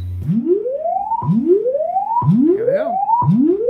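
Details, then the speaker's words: Vizio SB 300 series sound bar after replacing a faulty whining inductor, function-generator low-to-high frequency sweep test: clean tone rising repeatedly about once a second, no buzz, rattle or dropouts; repair passes, no longer shuts off. "and just for fun we can also do a sweep here it basically sweeps from low to high frequency as a test"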